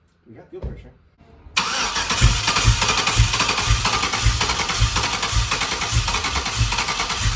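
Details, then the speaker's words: LS 5.3 V8 for a Nova swap on the garage floor, fuel pump commanded on with fuel pressure present (spec 58): cranking about two beats a second with scattered weak pops, no start. Only one injector was firing. "Why we're getting some pops but not just lighting up."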